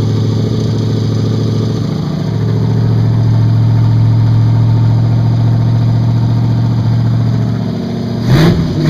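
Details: Evelyn's engine idling on open Lakes headers (first idle, timing just set, driver's header not fully welded): a loud, steady, deep burbling idle with even firing and a brief blip near the end. Normal idle.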